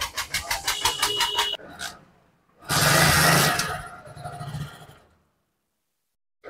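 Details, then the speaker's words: Hero HF Deluxe BS6 bike after cleaning oxygen sensor: stumbles with uneven popping, won't take revs, dies when throttled; misfire and stall persist, oxygen sensor replacement judged necessary (P0131 code suspected). "फिर भी, bike में खराबी आ रही है। यह रेव्स नहीं ले रहा है। यह बंद हो रहा है।"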